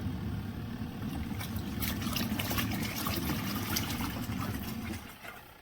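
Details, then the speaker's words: Twin-tub portable washer's spinner side spinning out water: steady low motor drone with splashing and draining for five seconds, then winding down; spinner working normally. "got the spinner on the other side that spins it almost dry at least it rinses and Spins all the water out"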